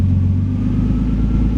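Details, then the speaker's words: Engine on an aftermarket ECU, idling after the ignition angle lock (set to 15° for a timing-light check) is switched off: returns to normal timing of about 30.5°, giving a steady, even low rumble with no misses, knocks or hunting. "the engine returns to its normal state."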